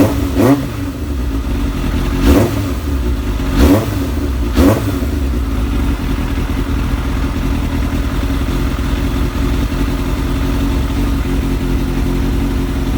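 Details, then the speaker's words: Kawasaki ZX7R sportbike four-cylinder, being charged after sitting on a 2-year-old battery the owner suspects is ruined: four quick throttle blips up and back, then a steady even idle with no knocks or misses; normal idle and revs. "I've got a bad feeling that it's knackered the battery up, it being sat there, but it's ticking over, as you can probably hear, perfectly."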